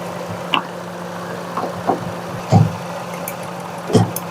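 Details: Car with missing and jerking returning after every plug cleaning, low coolant: idle stumbles unevenly with an irregular thump about once a second; misfire from a head gasket blown between two cylinders leaking compression, head later faced and refitted.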